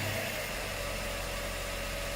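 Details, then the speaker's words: 2006 Subaru B9 Tribeca Limited at idle: smooth, steady hum with no ticking or tapping; engine sounds healthy and even. "the steering wheel is in great condition nothing is over worn and let's hear that engine very smooth no ticking"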